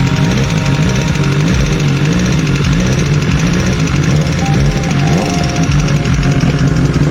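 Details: 2019 BMW S1000XR, 16k odometer, inline-four: a loud, quick, even ticking over the busy idle, steady throughout. Valve-train noise is suspected but not confirmed, and higher-viscosity 15W50/20W50 oil is recommended.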